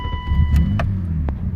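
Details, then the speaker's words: BMW E32 7 Series M30 six-cylinder after replacing the faulty part: engine catches at once and settles into a steady low rumble, no long cranking or stumbling; hard-start problem fixed, starts cleanly. "So here we have the problem, and I changed it, and now the car works properly."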